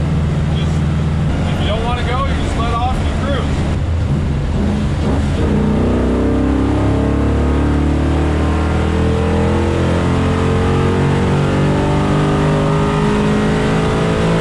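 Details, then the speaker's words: Chevy Nova (1965) on the freeway after its throttle fix, throttle body still suspected of occasionally cutting throttle: steady rising revs under throttle, pulls cleanly with no hesitation or stumble; healthy acceleration with full throttle range. "they actually drive like it should now you just push on the throttle and you can just go"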